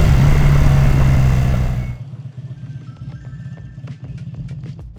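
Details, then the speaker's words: Rebuilt BMW R100 boxer twin bobber with revised airbox and shortened gutted factory mufflers fires with a loud burst, then settles into a steady, even, low idle with no knocks: normal start and idle. "I think that concludes it. We'll give it a quick start up so you can see what it sounds like."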